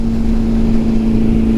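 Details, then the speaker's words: Honda CB750, a 750 cc four-cylinder with four carburetors and 67 hp, cruising: an even, steady hum at constant pitch under road and wind rush, with no knocks or misses. The engine runs smoothly. "that this vibration noise it makes that can almost put you to sleep ah it's just an incredible bike all around"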